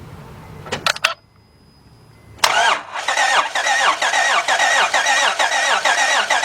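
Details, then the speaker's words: 2006 Honda Odyssey 3.5 that quit while driving, cranks but won't start, during a compression test: starter spins quickly and evenly at about two beats a second with no firing; gauge stays at zero, no compression. "all right where we at I stayed at zero oh what does that mean civy it means it doesn't have compression in that cylinder that's bad"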